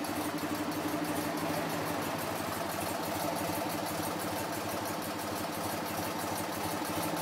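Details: BMW R50 motorcycle twin, first start after full restoration, occasional backfire expected: even, steady idle thump around four beats a second with no misses, knocks or rattles; idling smoothly.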